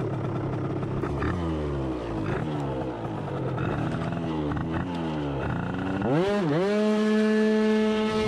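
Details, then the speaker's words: Yamaha scooter with a CVT, after an upgrade, with the silencer found loose, during a 200 m run: on pull-away the pitch climbs and then holds high instead of dropping. Revs are slightly lower than before and the transmission is not upshifting properly; it needs readjusting. "Apgriezieni bišķi zemāk, kā bija iepriekš, un neslēdzās transmisija, tā kā vajag."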